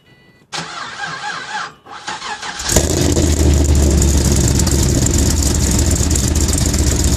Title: cold start misfire